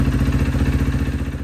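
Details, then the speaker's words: 2012 Kawasaki KX250F after full engine rebuild, idling after re-shimming out-of-spec intake valves that caused ticking; steady even single-cylinder idle with a clean low thump and no top-end ticking. "re-shimmed it, and the ticking is completely gone. Engine sounds brand new."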